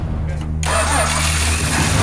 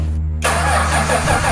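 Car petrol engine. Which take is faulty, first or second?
second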